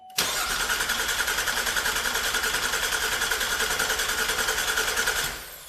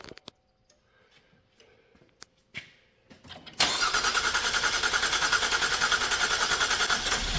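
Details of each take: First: 2012 GMC Acadia SLT 3.6 LLT after final assembly, cranked with fuel pump fuse pulled to prime oil: even quiet starter churn about 3.5 turns a second, no knocks or clatter; normal healthy cranking. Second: 2012 GMC Acadia SLT 3.6 LLT, first start after final assembly with the fuel pump fuse in: the starter cranks steadily for several seconds with air in the fuel lines while the injectors fill, then the engine catches; extended cranking.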